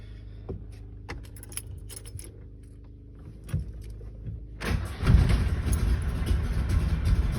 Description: This is a cold start video of a 1961 DKW 750 on a day with about 80 degree outdoor temperatures.